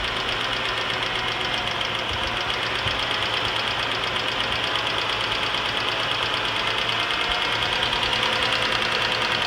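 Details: 2006 Cadillac CTS 3.6L SFI V6: fast, sharp, light top-end ticking, about three a second, gets faster with revs but not louder; faint at cold start, loudest after an hour's running; began after timing chain replacement; cause not pinned down.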